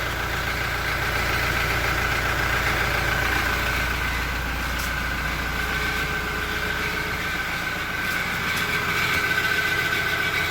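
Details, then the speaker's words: Toyota Innova Reborn diesel at idle: a light quick chirping tick of about four a second from the exhaust, like a cricket; it appears once the engine warms and rpm drops below 900 to a steady idle. "itu dia, suara klotok-klotok-klotok."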